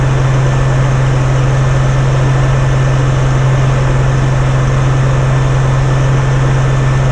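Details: Dennis Dart SLS bus Project 114 diesel, idling after removing part of the fuel system, no leaks: steady low drone, even unbroken beat, no stumbling or surging; smooth healthy idle.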